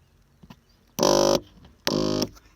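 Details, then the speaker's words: Ford Mondeo MK3 driver's electric seat height adjustment: two short buzzing bursts as the motor hums but the seat doesn't rise; the owner suspects something broken in the mechanism. "height adjustment as you can hear the sound the height doesn't move a bit and it makes this noise and I think something is broken in the mechanism"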